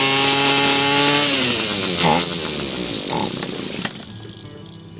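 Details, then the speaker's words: Echo SRM-230 trimmer two-stroke with new vent tube and fuel lines, fresh fuel and a clear spark arrester: a thin high buzz winds down and dies; it stalls every time at idle. "shuts off every time it won't stay idling"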